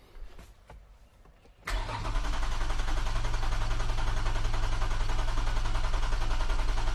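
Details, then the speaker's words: Toyota MR2 SW20 with swapped 2GR-FE engine, first start attempt after fuel, coolant and intake plumbing: starter cranks steadily about three and a half turns a second for five seconds without catching; RPM signal present. "all right I would have expected start by now so let's run through some diagnostic"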